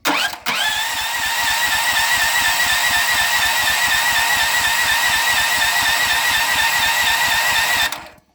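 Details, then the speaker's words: Auction Honda 15HP engine, battery and jumper pack, fuel on, choke on, kill wire disconnected: starter turns engine about three compressions a second for seven seconds, never fires; no start, spark test pending, ignition switch suspected. "nothing so we're going have to do a spark test and some other tests on it"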